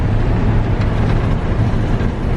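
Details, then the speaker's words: 1987 Chevy square body truck cruising after road-trip prep, with new transmission mount and tune-up: steady low road and engine drone with no creaks, ticks or rattles; the cab is tight and quiet and shifts are seamless. "Like, I mean, this truck is almost as old as I am. And it doesn't creek, rattle. I mean, nothing."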